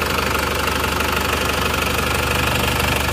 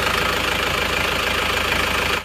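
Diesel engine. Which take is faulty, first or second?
second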